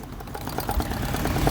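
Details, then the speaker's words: Sewing machine after tightening both loose screws: knocking from below gone, now soft even whir with light steady stitching patter, normal quiet running. "नीचे से जो आवाज आ रही थी machine की वो आवाज अब बिल्कुल खत्म हो चुकी है। मशीन बिल्कुल बेआज हो चुकी है।"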